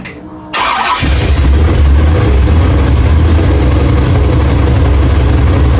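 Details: 1968 Chevrolet Impala 454 big-block V8 started after head gasket replacement: brief cranking, fires within a second, then a steady, deep idle with no knocks. Healthy, with 60 psi oil pressure and about 180 degrees on a new Griffin radiator with dual fans.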